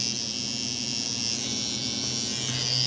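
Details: Cheap coil tattoo machine with a nine round shader, tuned to 119 CPS at 48% duty on 7.4 V, then run at 7 V, with a shorter front spring replacing the 1.75 springs; fast, even high buzz with no stumbling, running cleanly.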